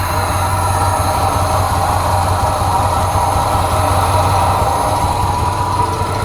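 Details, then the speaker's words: Ford F250 with 302 V8, unstarted for 12 years: rough, lumpy, irregular idle instead of a smooth V8 burble; one side heard misfiring heavily, cause not confirmed. "I definitely can hear misfiring on this side"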